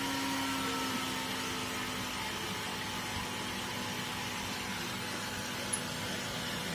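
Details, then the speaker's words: Small fan powered from a 5V-to-boost converter turned down from 12V to 9V, current falling to about 0.27 A: steady whir whose tone drops, then holds lower and even; normal running at reduced speed. "9V thì dòng qua cái máy cũng giảm còn 2 0,27 a tiếng kêu của quạt nó cũng chậm lại các bạn ha"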